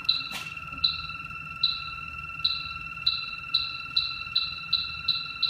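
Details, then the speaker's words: HVAC refrigerant leak search with battery-powered H10 detector at an opened wall, after fixing a large leak at the outdoor unit: ticks quicken from about one to three per second over a steady tone; a leak remains somewhere. "you hear it speeding up that tells me still got a leak somewhere"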